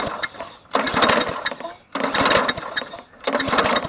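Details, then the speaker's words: Trash-found Toro GTS push mower, long unused, spark plug and a little gas added: three recoil pulls with steady compression puffs but no firing; good compression, no spark, coil suspected. "we have no spark no spark as you heard in the first part of the video it sounds like it's got good compression but no spark"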